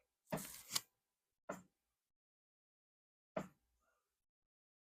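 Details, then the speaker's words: 2021 Harley-Davidson CVO Road Glide during a CR 483 cam install, engine turned slowly by rear wheel in 6th gear to find top dead center: a few short airy puffs seconds apart, normal compression. "There it went. Hear it? That's compression."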